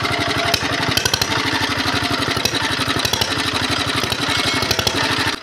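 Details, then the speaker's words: Diesel engine whose revs rise by themselves and won't drop, heavy smoke despite newly replaced nozzles: hard, rapid single-cylinder thudding that never settles into a clean idle, uneven; worn piston, rings and loose liner are to blame. "यह अभी भी पहले जैसी ही है, इसमें बहुत कुछ है धुआं और यह स्थिर नहीं है, या यह असमान है, भले ही नोजल की सामग्री को हाल ही में मालिक द्वारा बदल दिया गया है, लेकिन गैस अभी भी सुनने में सुखद नहीं है।"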